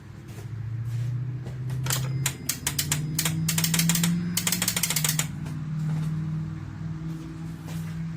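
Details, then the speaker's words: Acura TSX with a defective starter: rapid dry tapping, several per second, with no engine turnover. The starter clicks but won't spin; knocking on it with a mallet eventually made it rotate, and it was replaced. "Let me let you hear what it sounds like. Just a defective starter. You just hear tapping."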